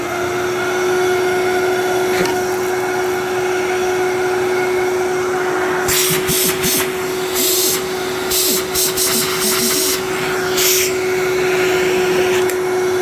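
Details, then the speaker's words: Older 12 amp Fantom Thunder vacuum: steady motor hum broken by bursts of irregular clattering and rattling, suspected something caught in the brush roll, unconfirmed — intermittent rattling noise. "Sound there. Sounds like there's something in the brush roll."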